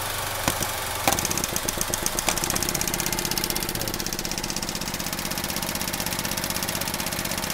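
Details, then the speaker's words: 2017 Chevy Trax with P0171 lean code, stall, rough idle, hard starts: at idle the evap purge solenoid ticks crisply about four per second, pulsing at 10% though commanded to zero, because the purge valve is stuck open. "I had it commanded at zero. I don't know why it started pulsing. It's at 10%."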